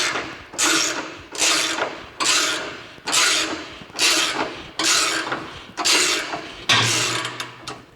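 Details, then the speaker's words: Race car chassis front jack bolt misaligned, binding and clicking in sharp bursts as it is turned under heavy pressure while compressing the spring; this causes severe handling issues until the jack bolt is fixed. "you can hear that clicking. That's when it's moving. There's another one. And I'm putting a lot of pressure on this."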